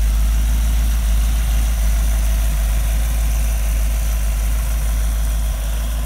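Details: Rebuilt, broken-in 1965 283 small-block Chevy in a Model A hotrod chassis, no street miles, on temporary very quiet mufflers: deep, even burble at a steady idle of about three pulses a second, no knocks or misses; healthy idle.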